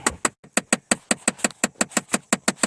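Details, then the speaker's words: 2008 Chevy Impala LS: sharp, evenly spaced clicks about five a second from behind the glove box on the passenger side, heard after the HVAC box was warmed. A worn blend door actuator is skipping its gears; this is its second replacement. "Okay, so it started doing it. I heated the box up a little bit, and now it's making the clicking noise."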